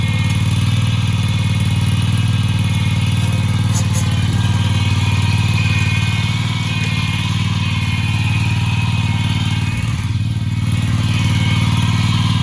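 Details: Husqvarna commercial zero-turn mower that sat 4 years in storage, started after revival work: smooth, even low drone with a steady beat and no misses or knocks; the engine runs healthy, normal running.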